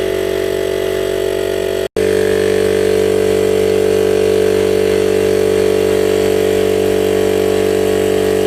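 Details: DIY 12V permanent-magnet-motor compressor on an old ~40-litre tank, rebuilt from recycled parts (good pressure switch, non-return valve), rated 72 L/min and drawing about 30 A, pumping up toward 100 psi: steady even motor hum with firm pumping tone, no knocking; normal operation.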